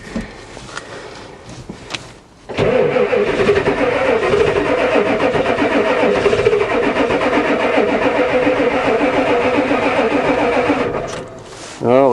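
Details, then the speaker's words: Ford diesel truck with glow plug controller showing wait to start (controller not heard clicking): starter churns steadily for about eight seconds with brief uneven catches, but the engine never picks up and runs; crank, no-start, cause not confirmed. "try again the old one used to do lots of clickings it actually fired a little here we go again try again"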